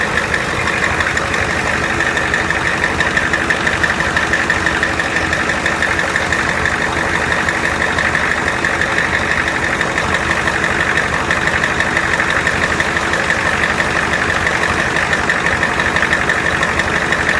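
Steady engine idle with an even low rumble and no belt squeal; it sounds normal.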